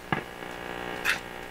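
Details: Viking RC311 console receiver during final alignment and test: steady low buzzy hum with a couple of sharp clicks; mains hum persists after adding ground and capacitor, source not found.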